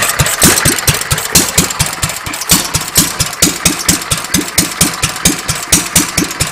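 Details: Petter A1 single-cylinder stationary engine with Wipac magneto, just timed without flywheel timing marks, running without exhaust fitted: crisp evenly spaced exhaust barks about one a second, steady rhythm, no misfires; runs quite well.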